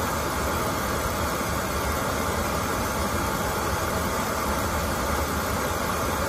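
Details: Oil-fired boiler that would not light because clogged filters restricted the oil, after all filters were replaced: a steady, even roar of flame and blower with no pulsing or sputtering, indicating a stable flame and normal operation.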